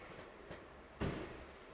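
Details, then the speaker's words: Auction-bought car, clutch pedal being operated. A dull clunk midway with quieter knocks either side; the owner suspects a clutch release bearing sticking on its shaft and then letting go, possibly meaning gearbox removal. "This is what worries me more though. That sounds to me like a clutch release bearing stuck on a shaft."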